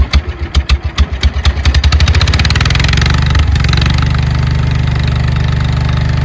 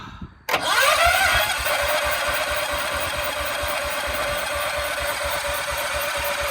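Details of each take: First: 1968 John Deere 140 H3 hydrostatic tractor, unrun 20+ years, after carburetor check (float working): a few pulls, then catches and settles into steady even low thump with no misses, a little smoky; runs fine. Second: 1968 John Deere 140 H3 tractor, unrun 20+ years, after coil wire replaced: catches and runs rough several seconds, then sputters in uneven pulses and dies; carburetor suspected gummed up, fuel delivery suspect.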